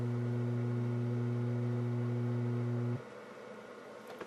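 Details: McIntosh MX110 (non-Z) tube preamp on the bench, power-supply hum fault: a loud steady low hum runs about three seconds, then cuts out cleanly to faint hiss as filter capacitor sections are probed to find the bad one, and the supply goes quiet.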